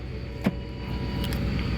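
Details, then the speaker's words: 2008 Ford Expedition (ex-police) at idle after replacing the power steering rack and lower radiator hose and refilling fluids: a faint thin whine over the idle from the power steering pump. Air is trapped in the system, bled by turning lock to lock. "that noise is the power steering pump down there so I added fluid I added a coolant I added oil so I'm letting it run and now to get"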